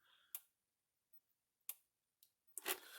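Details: Gallagher S100 solar fence energizer (1 joule, built-in battery and solar panel), after repair, tested with a Gallagher tester in livestock mode reading about 8,300–8,400 volts: sharp, crisp ticks about a second apart, then tester handling noise; pulsing normally.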